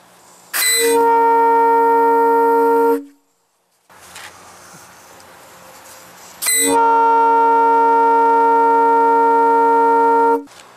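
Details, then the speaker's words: Old Nathan Air Chimes train horn, blown without a proper flange using paper towels around the air nozzle: two steady blasts of about 3 and 4 seconds with a thin, incomplete chord. Two chimes are silent; owner suspects bug clogging. "Sounds like 2 of them aren't working now. Probably clogged up with bugs or something."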